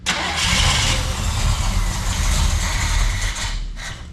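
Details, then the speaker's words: 1968 Chevrolet El Camino SS 396 V8 sitting since 2011, on fresh high-octane fuel: starter grinds briefly, then engine catches, running rough and uneven a few seconds before dying away. "oh can you hear man good starts i ain't had a starter that good in a long time"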